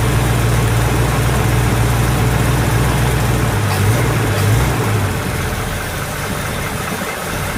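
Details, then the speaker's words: Pontiac GTO V8 idling after a 10-minute break-in and valve lash adjustment (loose rockers tightened until quiet plus a quarter turn; timing roughly six degrees): smooth, steady low burble, no ticking, valvetrain quiet; normal idle. "that side had a loose one this one had a loose one this side just didn't respond and after that got quiet it was a lot better"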